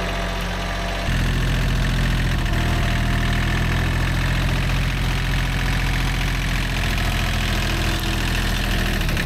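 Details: Old, worn Kubota B7100 diesel tractor after a gearbox rebuild that replaced chewed-up gears and bearings: a steady, even chug with a slight rise in speed and no gear whine or grinding; the gearbox noise is solved.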